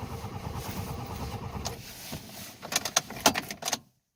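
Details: Toyota Tercel cranks without starting: steady, uneven starter churning for a couple of seconds without catching, then a few clicks. Crank no-start.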